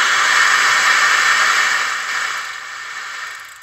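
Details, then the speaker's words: Car CD player that had no sound, after replacing a speaker whose wire was broken internally: even steady hiss from the new speaker with the volume raised, no crackle; radio output works fine. "Vou aumentar ele para vocês verem. Ó, tá ouvindo aí o chiado?"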